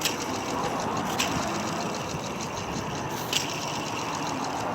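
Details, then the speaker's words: Jeep Grand Cherokee Laredo idler pulley removed for replacement, spun by hand: dry, raspy rattle with a few sharper ticks; no play or looseness, bearing dry inside. "So we got it out. This one was making noise."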